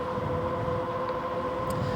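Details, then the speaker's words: Magicycle Jaguarundi e-bike with Bengal hydraulic disc brakes, ridden at full power on the road: a steady, thin, ringing tone throughout. The brakes sound rough but work; cause of the noise not pinned down. "yeah these brakes really sound uh they sound rough but they work they're hydraulic brakes they're made by a company called Bengal"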